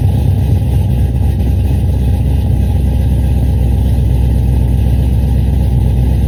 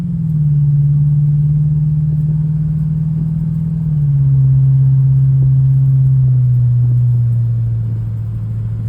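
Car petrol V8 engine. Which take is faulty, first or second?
first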